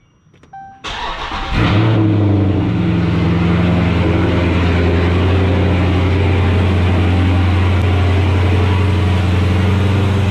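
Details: 2016 Dodge Charger Scat Pack V8 with long tube headers, K&N intake, catch can and tune, after installing ProFlex Commander E85 flex fuel kit: quick crank, flare, then deep steady even idle, no misses or ticks; sounds normal.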